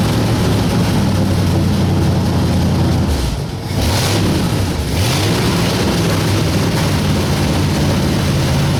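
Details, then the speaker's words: 1960 Ford F100 with a 472 Cadillac engine idling with new plugs and dwell being set: a deep loping V8 rumble with faint rapid puffing from an exhaust leak; a possible bad water pump is heard on camera but not in person. "You hear that exhaust leak."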